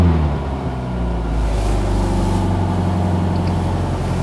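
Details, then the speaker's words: B16 Nissan Sentra rallycross car with race torque mount insert (harder compound), NVH test recorded from inside the car: steady low engine drone, smooth pitch rise on light rev, no clunks or rattles; sounds normal. "Sounds pretty good from in here. Now let's go ahead and check it out from the outside."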